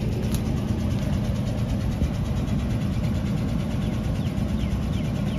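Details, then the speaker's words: Nissan Xterra with codes for random multiple misfire, knock sensor and engine over-temperature; rough, uneven idle with irregular thumps and stumbles and lots of smoke. Misfire at idle, cause not pinned down. "yeah this car messed up man too many Coast me see I started up one more time y'all let y'all see what it look like on the car messed up look how much smoke coming out"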